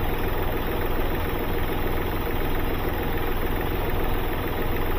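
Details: Hyundai Xcent diesel, two injectors repaired months earlier, injector return flow checked fine: even low idle clatter, smooth, no sharp tapping knock; injectors sound normal, smoke possibly from EGR.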